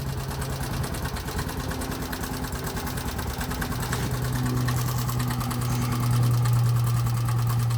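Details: 2020 Bajaj Boxer X150 at idle: a steady clattering knock about three per second with violent shaking; first suspected as tappets or timing chain, opening the engine found a worn piston rubbing the cylinder walls, and the piston was replaced.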